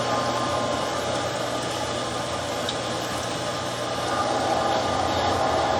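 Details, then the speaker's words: Camp outdoor water pump in boat house switching to lake line, cistern line throttled to hold prime, lake suction hose filling and pressure building; loud steady motor hum with even churning, no squeal or grinding; normal pump running. "So I'm trying to pump now from the lake line, but throttling this cistern line to keep the pump primed. So there, just picked it up."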